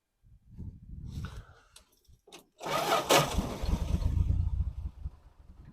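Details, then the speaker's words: 1974 Dodge Dart Swinger: weak, uneven cranking, then a harsh grinding clash as it catches and idles roughly. Likely a damaged flywheel tooth, probably from starting it with a screwdriver while the starter kicked in and out. "there we go and it sounds like we definitely have a tooth on the flywheel"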